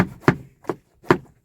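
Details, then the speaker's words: Kia e-Niro, rear seat belt tangled after passenger exits instead of sliding back: sharp hollow plastic taps at uneven intervals while driving, buckle knocking on trim; untangling it stops the noise. "Now, when they are like this, you keep on hearing as you're driving."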